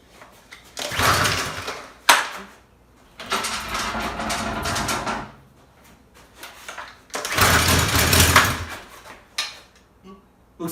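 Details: Discarded Craftsman 2700 psi pressure washer after the carburetor was cleaned and a needle that wasn't seated and leaked fuel was reseated. Rough pull-start bursts, then the engine catches and runs briefly with an uneven beat; it now starts.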